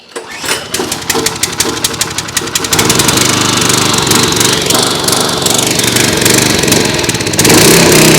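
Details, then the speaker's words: Simpson pressure washer, Kohler SH Series engine, after an ultrasonic carburetor cleaning, on fresh 87 octane fuel with stabilizer and water hooked up: pulls over into a busy, uneven run with an unsteady beat. It only runs on half choke, indicating remaining carburetor issues. "wants to run at half choke. So it sounds like we have some more carburation issues."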